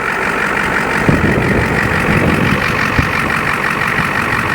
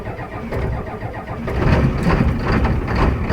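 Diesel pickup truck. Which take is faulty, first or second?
second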